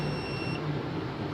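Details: UPS kit tripped on overload with the trip light on; one sharp half-second beep over a steady hum as a bulb is removed to leave 700 W and the unit decides whether to switch back on.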